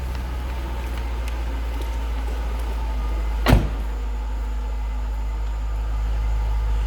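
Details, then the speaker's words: 2000 Jaguar XKR V8, 24,321 miles, stock unmodified exhaust, idling: deep, even burble with steady low rumble and one brief door-like thump; smooth, healthy idle. "No crazy exhaust, no modifications. Just what you'd expect it to sound like. Great sounding car."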